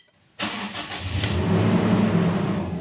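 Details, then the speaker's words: Toyota Innova cold start after throttle body cleaning: engine catches at once and settles to an even idle, no longer flaring to 2,000 rpm and dropping quickly; previously high slow-dropping idle from a carbon-fouled throttle plate. "Hindi na siya umabot ng 2,000 RPM at mabilis ng bumaba itong menor"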